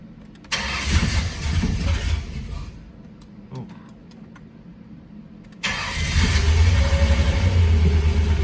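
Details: Ford Ranger with newly installed engine, first start: cranking, then second try catches cleanly and settles into an even, low idle rumble; normal start and idle.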